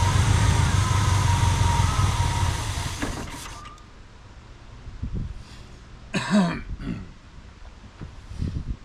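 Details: 1985 Pontiac Trans Am V8, 34,000 miles, parked since 1998: runs evenly about three seconds on poured-in fuel, then stalls leaving scattered clunks; not pulling fuel, stuck carburetor float suspected.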